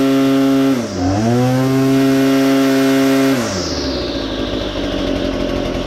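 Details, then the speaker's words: Well-used BL-110 chainsaw after an adjustment to fix bogging as revs climbed: a clean, steady buzz dips briefly as the bar loads into the wood, then holds revs and recovers without bogging. Running healthy. "um sounds good real good"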